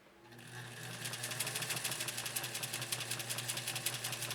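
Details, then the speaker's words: 1956 Atlas sewing machine with an oscillating hook; it builds to an even, quick ticking run with a light, regular stitch rhythm and no knocks or rattles, a sweet-running machine with beautiful stitching. "I'm going to stop our music for a second so we can listen to this great machine run really it's quite a sweet running machine yeah beautiful stitching"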